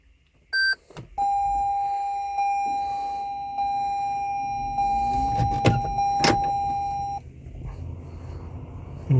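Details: 2015 Toyota Highlander Hybrid after replacing the nine-year-old 12 V battery (old read 10.5 V, new 12.3 V), which caused intermittent hybrid no-starts: brief beep then clear mid-pitched tone with short breaks, normal ready chime.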